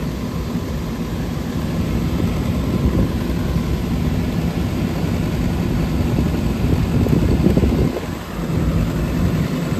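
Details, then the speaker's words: Trane rooftop unit after gas valve replacement, first heat run of the year: steady even low burner and blower rumble with no surging or popping; draft inducer sounds rough and slow to start, gas pressure slightly high. "All right, she's coming on now. That draft inducer kind of sounds like hell. Took it a minute to start up. Came right on."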